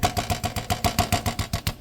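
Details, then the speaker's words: Hanway scrambler single-cylinder idle with tinny rattle on each firing pulse, about seven a second; mudguard is rattly, owner suspects a loose mudguard bolt and plans spring washers. "and that is the noise. It's like so I'm just gonna pop all of the bolts out and put some spring washers under there just to help. It possibly won't help. It depends what's making that noise, but it's probably one of the bolts, I would have thought."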